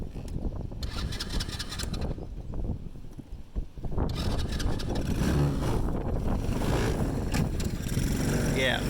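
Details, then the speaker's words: Ice Bear Mini Jeep, 125cc air-cooled, one year old, cold-started with choke, idle not adjustable; uneven coughing, dies briefly, then picks back up louder: cold-blooded stalling. "now these are advertised as you can take off at any gear I would probably oh shoot and she quit"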